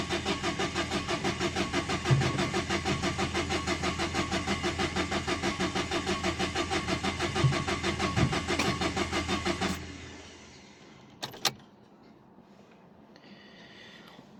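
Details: 2011 Dacia Sandero Stepway, 1.5 dCi diesel, with a rail pressure sensor fault code. The starter churns steadily at about three turns a second for ten seconds, then stops, never catching: cranks, no start. The cause was still unknown and the car was towed.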